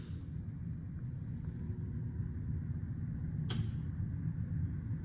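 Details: Indoor air handler blower on a 3-ton 1989 Carrier 'Brown Round' 38XD136300 system, set to cool, while the condenser won't start: low, steady, smooth drone like an old attic fan, with no knocks or squeals; the blower runs fine.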